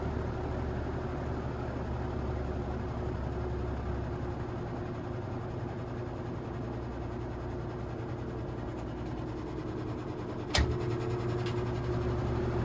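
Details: 1950s GE box fan after motor replacement, running on high blowing outwards: smooth even airy whoosh with steady low motor hum and one stray click; new motor runs normally.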